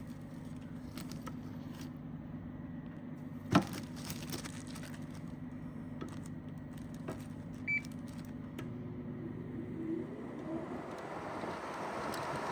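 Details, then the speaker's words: 2009 GE window air conditioner AEW05LMS2, R22, on low indoor fan: steady low compressor hum under a soft, even fan rush with no rattles or knocks; running normally. "Runs good."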